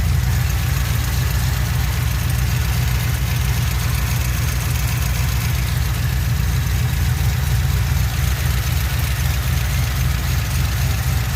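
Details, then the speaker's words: 2007 Pontiac Grand Prix GXP V8, first start-up after sloppy stage 3 cam install with VATS and DOD delete via HP Tuners; steady choppy cam lope at idle, deep even pulse, no ticking or knocking; no power steering noted, small coolant leak. Normal cam idle. "oh that cam sounds so good [Music] I don't know what's going on with that but hey that's major progress"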